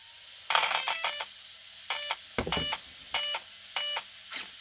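A series of short, high-pitched beep bursts separated by quiet gaps: the normal power-on tune of a healthy RC speed controller.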